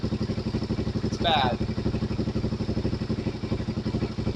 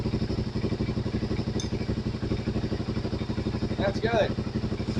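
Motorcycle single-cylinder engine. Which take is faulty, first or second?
first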